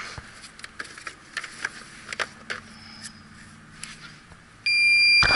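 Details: York rooftop unit installed May 2014, coil pressurized with nitrogen and hissing: after quiet clicks and handling, an electronic leak detector breaks into a loud, steady high-pitched alarm at the evaporator coil leak.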